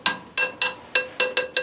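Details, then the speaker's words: Tap test on a welded broken cast iron leg of an old upright parlor stove; seven sharp, clear ringing tinks that don't change, no hollow thunk of a structural crack; sound weld, no crack. "that the sound doesn't change? If it had a big structural crack in there, the sound is going to be much hollower, more of a thunk than a tink."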